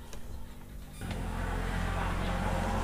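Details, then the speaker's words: Yamaha Jupiter MX that keeps stalling despite a recent engine rebuild, ignition on, throttle open, carburetor vacuum slide lifted by hand: quiet cranking, catches briefly, runs rough and uneven, won't stay running; hard starting, carburetor/vacuum slide problem. "dan juga pasti hidupkan dicongkel mau hidup tapi pasti lepas dia gak mau idup"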